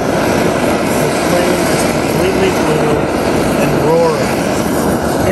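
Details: MSR XGK expedition stove on white gas, pump-pressurised, burning after priming as the yellow flame goes out: loud, steady rushing roar without sputter or pulsing, faint aircraft-like drone behind it; burning normally.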